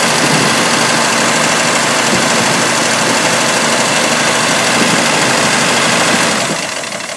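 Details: 1985 Mercedes W126 500 SEC, M117.963 V8 on petrol (LPG-equipped, same sound), passenger side: loud busy idle with fast metallic tick-rattle, three to four beats a second; hydraulic lifters suspected, two cylinder-1 lifters replaced helped little.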